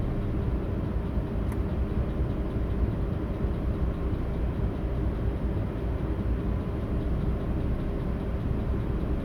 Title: Audi A8 D3 W12 6.0 Lambda check with VCDS (misfires)